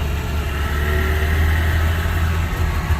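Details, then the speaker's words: Subaru 360 two-stroke van on first drive after restoration, driving in second gear with engine cover off; steady, even low drone with no knocks, bangs or rattles; good power, running healthy. "this is good. No big bangs, rattles."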